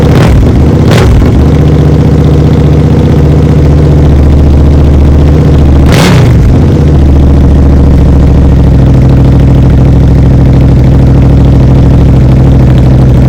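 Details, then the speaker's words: Suzuki SV650 V-twin after rebuild, idling with dB killer removed: deep, very loud rumble with sharp throttle blips settling to even idle; open exhaust runs fine, owner worries neighbours will complain. "ஆனால் முதலில், நான் ஒலியைச் சரிபார்த்தேன். Decibel குறைப்பான் இல்லாத ஒலி."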